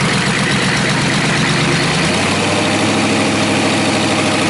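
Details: Rebuilt Chevy/GMC 6.5L turbo diesel V8 after glow plug start: deep, steady clatter settling into an even idle after start-up, no misses or knocks—runs smooth and healthy.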